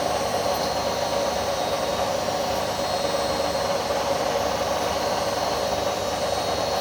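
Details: Indesit My Time washing machine under three years old, during spin: steady whirring roar with faint rattle as drum spins fast; owner suspects drum bearings starting to go, not confirmed.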